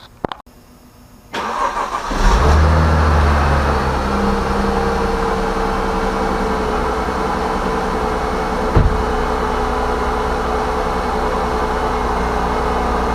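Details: Copart-salvage Mercedes-Benz C230 Sport under repair: the starter whirs, then the engine catches cleanly and settles to a steady, even idle with no knocks or misses; it runs normally.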